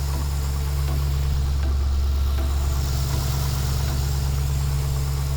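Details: 2012 Chevrolet Caprice PPV 6.0L V8 just started with an oil pressure gauge wired in, showing over 80 psi oil pressure. Steady, deep, even idle with no knocks or ticks: normal idle.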